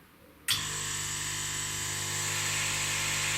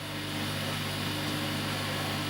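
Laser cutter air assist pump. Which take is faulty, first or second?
second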